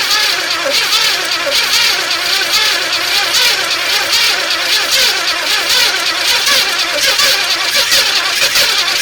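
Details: 1981 El Camino sat 21 years, carb primed with gas: long cranking, catches briefly but never runs, weak starter; two cylinders dead from chewed spark plug wires.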